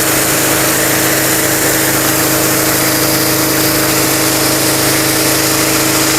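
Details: Mitsumax 10 hp vertical diesel on a 3-inch high-pressure water pump (3,000 rpm rated), full throttle: loud steady drone with hiss of spray from the nozzle, no misses or knocks, strong pressure; normal running under load.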